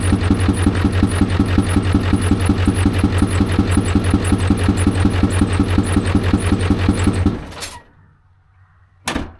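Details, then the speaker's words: Ford F350 dually with 7.3 Power Stroke diesel running cold at idle; steady clatter with a hard knock about three times a second, then shutdown; owner suspects a dropped or bent pushrod, later replaced. "Alright, you guys, you hear that? I think it dropped the push rod."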